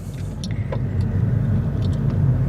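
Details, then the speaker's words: 2022 Honda Insight driving after replacing worn rear passenger shock and upper mount that caused rattling and clunking: only steady road rumble, no rattles or clunks; rear suspension quiet. "Quiet as can be. No annoying rattling."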